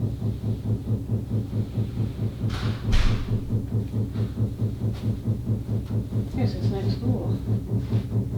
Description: This is a very loud banging noise that just started 3 days ago. It happens sporadically, and typically lasts about 1 minute or so.